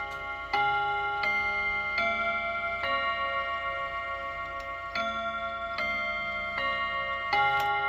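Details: Serviced chiming clock, chime test: clear bell notes in an even, unhurried sequence with clean ringing decay at the 45 position, no dragging or missed strikes; normal quarter-hour chime.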